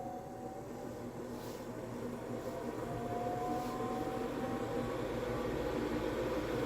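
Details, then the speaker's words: Diesel heater installed indoors on a Chinese power supply with battery backup, just after shutdown: the fan hum climbs gradually in pitch and loudness as the blower winds back up to purge leftover heat while the exhaust cools; a normal cool-down cycle. "And then uh what it'll do is it'll speed up again on the fan to kind of just kind of inject out well output not inject but output the uh all the rest of the heat that's in there. So here we go. It's going to wind back up."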